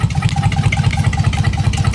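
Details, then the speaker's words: Dodge Magnum SXT 3.5L V6 stroker, first start, Inertia cams, hand-ported heads and intake: choppy loping idle, steady uneven exhaust lope about eight pulses a second, attributed to a big aggressive cam. "definitely sounds like that she's got a big fat nasty cam in here"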